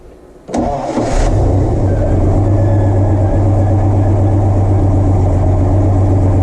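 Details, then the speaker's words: Supercharged Mopar Slant Six, just started after a new blower swap: a steady, even, deep smooth idle without the previous blower's death rattle; a slight squeak, probably from the belts, possibly the blower. "Wow, that is quiet. I hear the slightest bit of squeak. It's probably from my belts."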